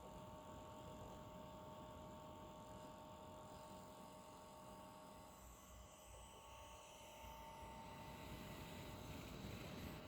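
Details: New Asus ROG Zephyrus GX531GS laptop, noisy from unboxing: a loud, steady fan rush with fixed tones. Serious coil whine and excessive fan noise.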